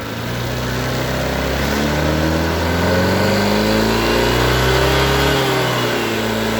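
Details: Honda Vario 150 scooter with a complaint of dying when throttled on morning cold start; fuel pump tested good at about 40 on the gauge; smooth even note rising and falling cleanly with throttle, no misfire or stumble; normal.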